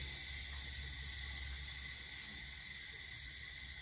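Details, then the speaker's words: 1977 Pontiac Trans Am running after rewiring, A/C compressor and blower motor just engaged: steady sharp hiss of escaping gas over faint engine rumble; suspected refrigerant leak, owner unsure whether condenser or evaporator. "oh hey AC compressor came on that's good maybe we can blower motor came on too foreign and something is leaking"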